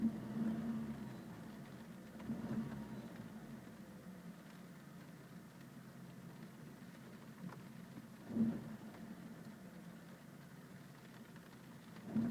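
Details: BMW E46 318i with N42 engine at rough idle: quiet low idle with an uneven surge every few seconds, engine hunting; cause unconfirmed, air filter, fuel filter and mass air flow sensor among items to check.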